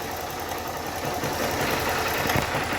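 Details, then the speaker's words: Honda Start 160 motorcycle idling in neutral before repair: fast, light metallic rattle ("tre tre tre") over the exhaust note, typical of a worn cam chain tensioner letting the chain slap. "a motoca ligada ó aquele TRE TRE TRE D dá uma olhadinha como é que era o barulho"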